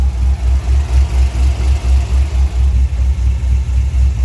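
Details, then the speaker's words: Cadillac CTS-V LS V8 with a healthy cam and likely Flowmaster exhaust, good oil pressure, no lifter noise; deep, even burble about four pulses a second with slight lope, no ticks or knocks; healthy idle. "it sounds good sounds healthy"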